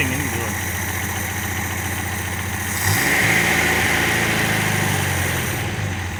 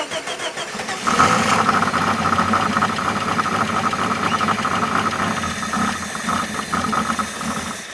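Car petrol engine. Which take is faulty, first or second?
second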